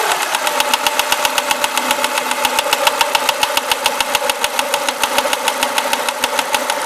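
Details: Renault Clio RS engine at idle with sharp, even metallic ticking about three to four per second; source not yet identified. Engine ticking.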